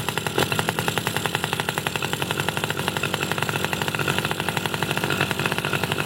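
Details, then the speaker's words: Yamaha Force two-stroke motorcycle during carburettor setting, smaller jet already fitted: rapid soft, blubbery burbling beat rather than crisp and even; still running too rich, mechanic says the membrane is open. "masih keboros sen Wan padahal sudahah diganti kecil ya Wan"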